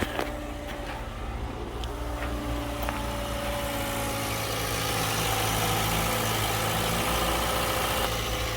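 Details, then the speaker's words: Toyota Highlander 2.7L, checked for timing chain rattle, started after sitting about 7 hours: a steady, even idle with a smooth low hum and no chain rattle or ticking; normal idle. "the Toyota's been sitting for about 7 hours now. Let's start her up. Have you go under the hood here. And damn, it sounds good."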